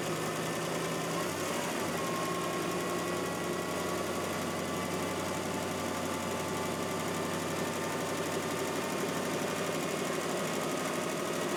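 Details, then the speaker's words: First start of a freshly reinstalled engine and transmission in a drag car: a smooth, even run with a steady tone. The former lifter tick is completely gone and the engine is silent, like a brand-new engine. "Listen to that. No loopster tick whatsoever. Go ahead. Try it again. Holy crap, it's silent."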